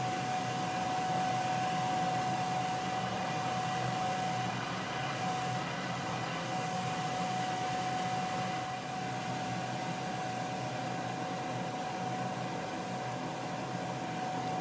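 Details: Homemade dust collector (blower on hat, cyclone, dust bin) with hose plugged in, vacuuming floor dust: steady rushing airflow and constant impeller whine throughout; blower runs healthy.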